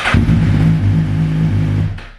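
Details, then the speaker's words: Suzuki Gixxer motorcycle restarted after tracing a short and replacing the 30A starter relay fuse that had left no display power: short, clean steady low engine hum, no misfire or rattle; running normally after repair. "I'm gonna go ahead and turn the key again to really make sure before closing out the video because yeah all right sounded good"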